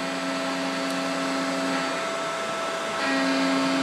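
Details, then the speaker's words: Mikini 1610L CNC mill after replacing BLDC motor with AC inverter-duty motor and Hitachi VFD, cutting at about 5400 RPM: clean steady spindle whine, light rubbing hiss, no chatter; feels more rigid than old loose-pulley setup; healthy. "you can see spindle sounds really good cut sounds good it feels like it's more rigid somehow I don't know"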